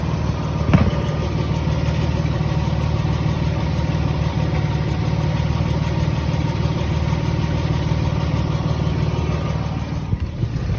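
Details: 2003 Nissan Xterra 3.3 non-supercharged V6 idling: a steady low rumble with a light, fairly quick ticking noise on top.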